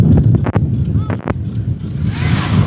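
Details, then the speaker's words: 2021 Chris Craft Stinger 222 inboard, first start of season, after cleaning a dirty ignition-circuit fuse (now 11 volts); steady, even idle with no misfire under splashing and wind; runs smoothly. "and he just got wet she fired up and smoothed right out"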